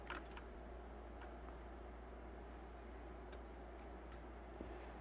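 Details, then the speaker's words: 2013 Ford F-150 XLT with repeated BCM failure from windshield water leak, fuse box test: soft sharp relay clicks over low hum as a single fuse is inserted; relay works normally, 11 volts on hazard switch circuit. "so when i push this fuse in you can hear a relay click and now we get 11 volts on that hazard switch circuit"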